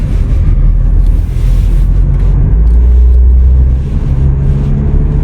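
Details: VW Passat B8 2.0 diesel 110 kW, 11/2020, on a road test at speed: only smooth low road rumble, no rising hum or growl with speed; wheel bearings sound fine.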